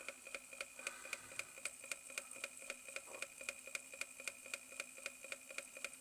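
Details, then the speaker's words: Reverse-osmosis booster pump under load with sharp, even knocks about four a second over a quiet hum; the worn plastic front bearing seat gives play, so the armature strikes the magnets; fix is replacing the motor front section. "Оказывается, посадочное место подшипника в пластике уже изношено, появляется люфт,"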